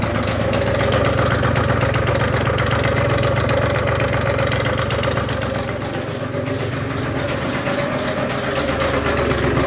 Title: Rattling noise!